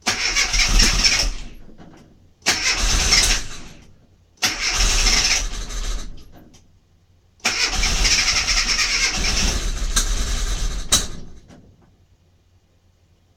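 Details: Mini MPI that won't fire: four cranking bursts of two to three seconds, starter turning steadily but engine never catches; crank, no-start.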